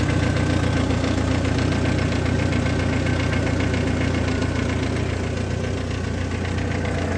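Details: 2002 Jeep Wrangler four-cylinder at idle: light, regular ticking of about four clicks a second on top of the idle, from the front of the engine bay, recently noticed.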